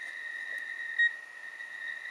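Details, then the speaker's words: 40-metre Rockmite 51 clone CW transceiver keyed at 7.025 MHz, heard on an SDR receiver; pressing the key gives one short high beep then a faint steady whine, no continuous tone; owner suspects an earlier short damaged the chip. "if you hear it, it just gives me that one beep. No m even though I'm still pressing on it. So, I I think I damaged something in the circuitry here."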